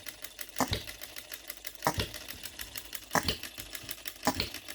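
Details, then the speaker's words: OKMO Retrol B02 miniature petrol hit-and-miss engine on shellite, very first start, straight out of the box with no adjustments: sharp firing pops about every 1.25 seconds with quiet coasting clicks between; steady, healthy hit-and-miss running. "What a beautiful miniature hit and miss"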